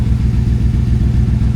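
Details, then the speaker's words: 1996 Dodge Van starting after a new ECM install, with repaired transmission and new Cherry Bomb muffler: smooth, deep, even burble, no ticking or knocking; healthy. "I just love how this thing sounds."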